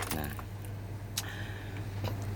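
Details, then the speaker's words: Car that wouldn't start for several days: the key gives a single sharp starter click with no cranking. The battery is too weak to turn the starter; it feels hot, and a failed battery cell is suspected. "Takutnya misalkan ini kan nggak kuat start nih, kayak gini punya nih. Tuh. Salah, cuma kayak gini nih. Tuh, cuman ceklek tuh. Tuh. Nggak kuat ngangkat ya."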